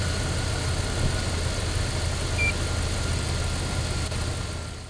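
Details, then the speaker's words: 2000 Dodge Durango 5.9 L V8, started using a charger's 110 A engine-start mode: fires and settles to an even, steady low idle with no stumbling or misfire; starter and connections good. "okay so as we could tell the engine had no problem starting so uh that eliminated the starter so the starter is in good condition"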